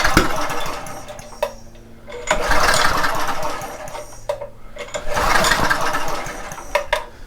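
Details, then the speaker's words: Homelite 2500 W generator that would not start: repeated recoil pulls spin freely with no firing and no compression thump. Little compression felt; the on/off switch is also to be checked. "See if that helps at all. It doesn't feel like there is a lot of compression though. There is some, but I don't think there's a whole lot."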